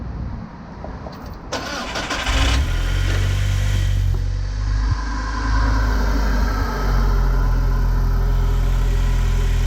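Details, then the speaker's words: Audi A4 after full engine rebuild and snub-mount install, first start in a couple of days with full exhaust: brief crank, then it catches and settles into a steady, even low idle with a deep exhaust note; runs smooth. "so far so good feels really smooth right now we haven't started in a couple of days"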